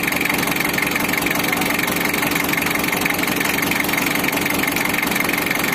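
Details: Mitsubishi L300 diesel, first start right after engine overhaul and head gasket fit: steady, even diesel clatter at idle with no misses, knocks or hunting; freshly rebuilt engine idles smoothly and sounds healthy.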